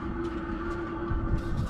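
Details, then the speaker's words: Newly installed Webasto gas heater in a Ford Transit van, fuel lines primed: steady low hum with a faint even whir and the fuel pump ticking underneath, running smoothly after start-up. "here's the sounds you want to hear hear that and i just got this kind of tucked up into here i gotta go buy a ring clamp got my air going the other way you can hear the fuel thing ticking oh what an awesome sensation"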